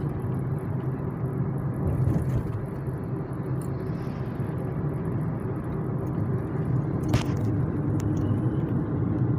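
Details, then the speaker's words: Kia Cerato front suspension on an irregular road after replacing the stabilizer bar and left link with an original part: only steady low road rumble, no knocks or clunks; suspension quiet and fixed. "não escuto uma stock toque nenhum tô passando aqui numa via Que por sinal ela é um pouco irregular"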